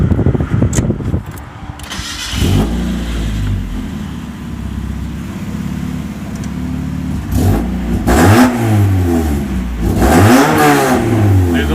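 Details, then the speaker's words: Mazda Miata first start after installing a long-tube header and test pipe (cat deleted), exhaust routed to the muffler: loud raspy exhaust with a sharp ticking puff following revs; leak at a bolt that needs tightening. "leak one one of the bolts got to be tightened that's loud alright let's find that little leak"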